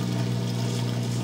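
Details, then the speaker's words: Whirlpool washer with a door that won't unlock, plugged back in after being unplugged to reset: a steady low hum with a faint watery gurgle, even and unchanging, as the drain pump runs normally. "we're going to plug it back in see if anything's different all right so we have drain going"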